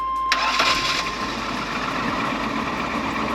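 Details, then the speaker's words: 1999 Chevy Astro van, 100k miles, AWD, lifted 3 in, that cranked but would not start from a corroded distributor cap; after the cap, rotor and distributor are replaced, a short crank, then the engine catches and settles into a steady idle without misses. "yeah all right back in business hopefully don't have to do this again for a long time"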